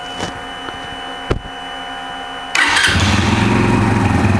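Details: Brixton motorcycle starting after the throttle position sensor connector was reconnected, with that code still stored and the malfunction light still on: quiet clicks, then a clean catch into a steady, even idle with no misfire. The bike works fine.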